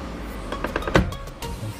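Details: Suzuki Splash power side mirror after repairing a detached internal latch: short motor whirrs and crisp clicks as the mirror moves and latches, no grinding or slipping; folding works like new.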